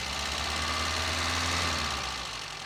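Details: 1953 Sunbeam Alpine Mk 1, restored, microphone in the engine bay: steady, even idle with a constant low hum, no bottom-end knocks or ticks. Normal healthy idle.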